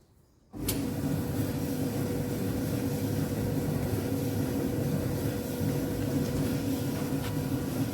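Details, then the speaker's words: Alliance/Speed Queen commercial dryer after replacing the damaged drum idler pulley, drum bearing slide kit and pulley nut, which had caused a loud noise. The drum turns with a steady, even rumble and no knocking, and it is heating again: normal running. "now you can hear the noise no any abnormal very smooth the machine is running"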